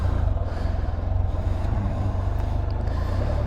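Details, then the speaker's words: 2015 Can-Am Spyder RT Limited with new spark plugs fitted: steady, even low thrum with no stumble or miss, purring like a kitten. Normal, smooth-running engine. "all right so this is the 2015 from uh the other day she's got new spark plugs in it she purs like a kitten"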